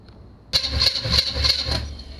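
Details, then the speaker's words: 2006 GMC Envoy with small-block LS swap and carburetor, starter fed by jumping the relay: starter grinds over with steady compression beats but never fires; crank no start with no fuel, carburetor to be opened and cleaned. "nah there's no fuel in it and that's okay all right so let's see what we can do now I'm going to open up the top of that carburetor and I'm going to try to clean it out"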